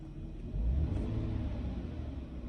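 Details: Car, about eight years old, after fixing a misfire by replacing the cylinder 5 coil plus two more coils, a full set of spark plugs and cleaning the throttle body: smooth, low, even idle with a small early rise, no skips.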